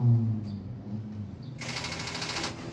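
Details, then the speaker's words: Car that won't start in the morning unless pushed or jump-started from another battery: turning the key gives only rapid starter clicking without cranking; possibly a weak battery, not a faulty starter. "Kalau kita hidupin cuman bunyi seperti ini nih."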